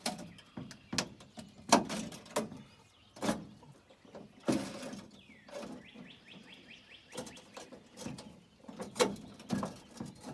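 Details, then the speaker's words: 1940s International truck door, panel off, glass pushed down by hand: irregular crunching and scraping bursts as the window hangs up and binds in its regulator; forcing it risks breaking regulator gear teeth. "You can hear it crunching in there, that's not good."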